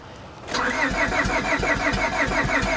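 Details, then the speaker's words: Copart auction Honda, about 300,000 miles, cranked on booster pack: uneven lopsided cranking, only a couple of cylinders catching; uneven compression, cat seems missing. "Oh, uneven compression. Yeah, that doesn't sound good at all."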